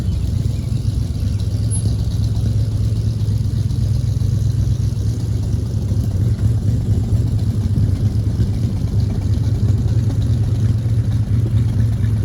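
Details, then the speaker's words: 1940 Ford Tudor driving after new eBay-kit tailpipes were fitted: smooth, steady low rumble at cruise, no hiss, puffing or rattle; quieter with no more exhaust fumes, a huge improvement. Normal running while driving. "guys I felt like that was a huge Improvement I'm just going to keep driving it and see what I think of it but it's quieter no more exhaust fumes that's great"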